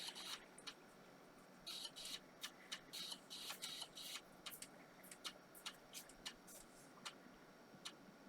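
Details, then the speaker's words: IBM PC 330 Pentium 133 during restoration, floppy drive booting a Windows ME boot disk: quiet run of sharp, irregular clicks and short buzzy bursts as the head steps and reads; floppy drive working normally. "Let's plug the floppy in. Floppy drive light came on. Sounds good."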